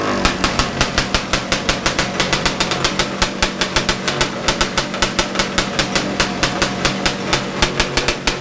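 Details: Big-bore stroker 277 two-stroke snowmobile engine, first start after rebuild with new sleeve, primed beforehand: sharp, even crackling pops at about six a second with a steady rhythm; fires and runs cleanly.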